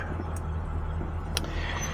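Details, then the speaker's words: Old '70 car, started with no gas pedal: low even idle rumble, only a couple of stray background clicks; smooth healthy idle. "no press on the pedal let's see how it does look at that didn't give it no gas oh yeah"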